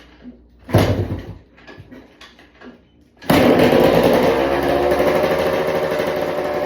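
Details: 1995 WR 250 two-stroke dirt bike, first start after a rebuild with the carb and tank refitted: the engine fires and settles into a brisk, steady idle with no missing, very smoky; it starts and runs fine.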